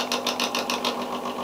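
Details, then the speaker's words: Original bathroom exhaust fan from when the house was built: small motor hums with a dry, papery rattle pulsing about six times a second from unlubricated bearings, friction slowing the motor; cleaned and greased. "yeah that's sounds pretty dry to me it is the original fan when the house is built so it should Coast for longer than that so if I repack those bearings and that grease that thing should be sucking a lot more air"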